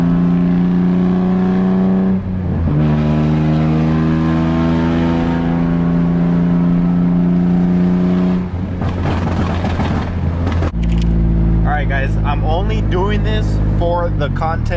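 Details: Nissan 350Z that suddenly got a major exhaust leak at the headers while driving: loud, raw rasp on every rev rise and fall, sounding like open headers, far harsher than a sealed system.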